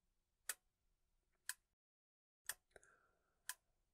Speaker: clicking on and off as the outputs change based on the accumulate value of our timer